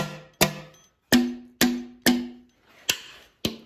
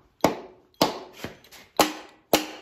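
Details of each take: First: Mopar Hemi engine on an engine stand, valves tapped to check whether they are free; seven irregular sharp taps, some dying off hard and dead, others ringing or bouncing back; the dead-sounding valves are stuck. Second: Mopar Hemi engine on stand, testing whether valves are free: four crisp, evenly spaced taps about half a second apart, each ringing clean and dying off; this valve springs back freely.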